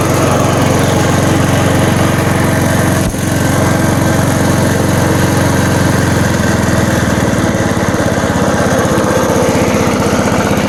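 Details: 1987 Snapper push mower with a Briggs & Stratton engine (date code Sept 3 1987), choke-start, no primer bulb: runs at a steady, even speed with a clean regular beat, governor holding, after a throttle-cable adjustment fixed fast running and choke not closing.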